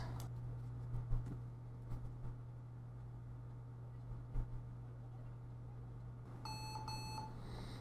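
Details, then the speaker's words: Lenovo ThinkPad T460s laptop at power-on: two short clear beeps after about 8 seconds then quiet with dark screen; actually booting, caused by blown backlight fuse F7, not RAM or SSD; fixed by soldering a 0-ohm resistor in its place. "When you turn it on, it beeps twice and that's it. So, two beeps after 8 seconds."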